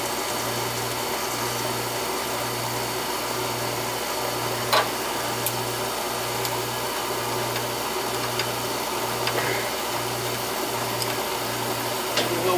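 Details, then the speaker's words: Oil furnace burner tripping out on safety, air in the oil line: motor hums with steady rhythmic pulse but never lights, no ignition roar; suspected bad nozzle. Not igniting. "It's not firing, so maybe we got either a bad nozzle in there or something. Bad nozzle and no spark."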